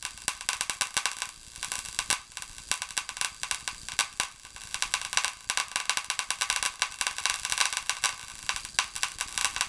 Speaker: as you see there that's what the noise is somewhere in that circuit board we're getting some cracking and some popping doesn't smell so bad smells like electrical letting the smoke out